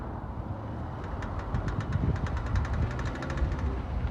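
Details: GMC Terrain that makes a strange noise when turning, with the problem persisting after the drive shafts were replaced. Irregular sharp clicks, roughly four a second, over a low rumble while the wheels turn; front-end knock, source not pinned down.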